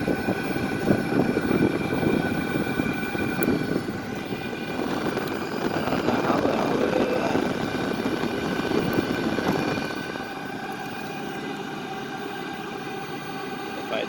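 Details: New Wippro 5/8 kW all-in-one Chinese diesel air heater on its first run, intake unconnected, exhaust routed away, for a 2000 5.9 Cummins Freightliner MT45 van: steady combustion roar with constant fan whine, no surging or rattles; running normally, blowing lots of heat.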